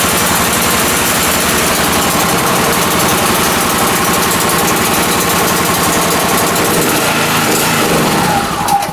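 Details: OKAY inverter generator, 2.5 kW max / 2.2 kW rated, just after pull start: loud, steady fast-chugging single-cylinder run with even pulses and no misses or knocks; running healthy.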